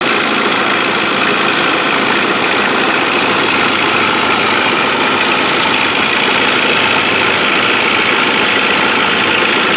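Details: Saab 9-5 petrol engine, warm idle, with a fast uneven metallic rattle about four per second from the pulley area. It starts 3-4 minutes after start-up and grows. It persists after a new compressor bearing, water pump, idler pulley and upper timing chain rail. Chain not apparently stretched (~17mm).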